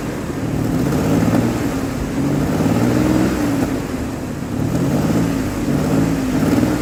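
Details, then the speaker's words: 2003 Ford Explorer petrol V6 that failed inspection for misfire, after replacing an ignition coil: idles and revs evenly with no stumble, running smoother than before and smoothing right out under throttle; smooth running engine. "Running smoother than it was. And once I put some pressure on it, it smooths right out. I like it."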